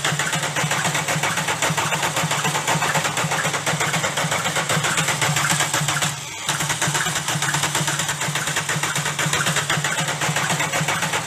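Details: Volkswagen Golf diesel engine running with a steady rough clatter and a heavier knock about twice a second; damaged connecting rod bearing shells causing rod knock.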